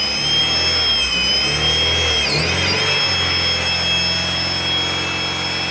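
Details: Replacement 1998 B20B long block from a salvage yard, swapped in for the original 1999 engine with a new clutch and fresh oil, started in neutral: a loud, steady high-pitched screech over rough running, followed by rod knock.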